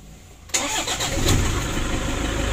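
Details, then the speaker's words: Toyota Innova diesel, previously hard to start, injectors serviced, turbo leaking, valve cover oil leaks: cold start fires almost instantly with a short crank, settling into a smooth, even idle; starts easily now. "alhamdulillah untuk hidupnya sudah mudah teman-teman ya tadi juga di saat mesin dingin kita starter tidak sulit mudah"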